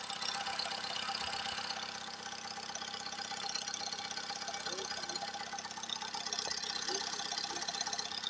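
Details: Recently repaired engine, quiet with no knocks when cold, now warm after revving. Oil pressure high, check-engine light off, vibrations. A light, steady tapping at about three per second under cabin hiss: engine knock of unknown origin.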